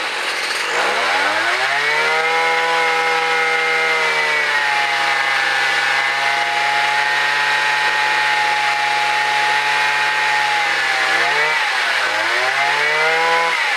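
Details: Gas-powered mobility scooter with rebuilt small engine, first start after input shaft repair, new chain and sprocket, no wheels fitted: small engine revs up, holds clean steady buzz, dips and picks up smoothly with throttle; motor runs perfectly, normal.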